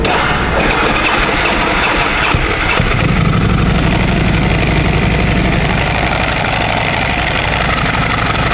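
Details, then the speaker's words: 17-year-old Ducati at idle, clutch cover open: a loud, fast, uneven clatter over a steady idle that sounds broken but is the normal dry clutch rattle, which stops when the clutch lever is pulled. "suaranya keras banget suara motor rusak gitu padahal emang ciri khasnya dia kayak gitu"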